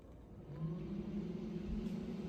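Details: Extractor fan switched back on via a light-switch dimmer controller: motor spins up to a low steady hum that settles and holds even, no grinding or rattle; fan runs normally.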